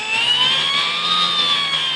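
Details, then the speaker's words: Hobbyking Sunbird 1.6 m glider electric motor with folding prop after prop balancing: clean steady high whine holding pitch, no wobble or buzz; runs smoothly, though the battery is weak. "sounds pretty good just the battery sucks"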